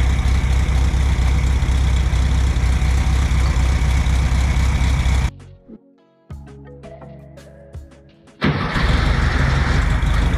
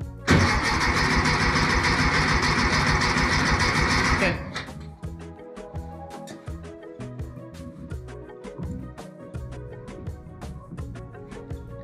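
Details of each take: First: 1964 VW Beetle air-cooled engine, sitting 8–10 years, running after carburetor cleaning: even, steady idle with smooth rhythm and no miss or stumble. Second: 1964 VW Beetle that sat 8-10 years, trying to start without starting fluid: loud steady cranking with even compression beats for four seconds, never fires; engine not getting fuel, carburetor later cleaned and it ran well.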